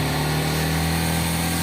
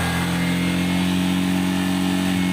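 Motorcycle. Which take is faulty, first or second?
first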